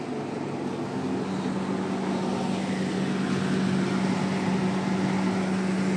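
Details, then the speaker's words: Defy DTD252 tumble dryer after replacing the motor capacitor; previously the motor tried to turn but didn't. Now a steady, even motor hum with a constant low tone and no labouring: it starts and runs normally. "So let's start it up and see what happens. Working like a bomb. Like a bomb."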